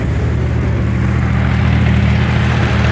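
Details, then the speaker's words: Corvair-powered buggy after fuel pump work: loud but even, steady low rumble from the air-cooled six. No popping on either side and no smoke once warm. Timing is hard to set with parts missing. Normal running. "pretty loud so starts up fine once it warms up there's no smoking there's no popping on either side it's got plenty of power"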